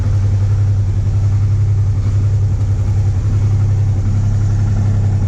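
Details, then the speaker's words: Honda Transalp 650 V-twin idling cold on choke after new plugs and air filter, recorded from above and below. A steady low throb carries faint, uneven light knocks at about 220 a minute. Light knocking at cold idle. "Вообще все идеально четко. Я не знаю, кто-то говорил про вибрации, стуки. Какие-то стуки присутствуют, но не сильные."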